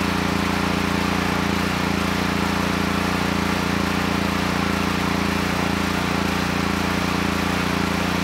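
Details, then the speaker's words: Honeywell HW5500 5500 W generator, 337cc engine, original cleaned carburetor, air box cover off, choke plate detached. Runs steadily but slightly unevenly with a faint pulsing beat. "that's why i took the air box cover off and the thing that really is odd is when i choke the engine it starts running"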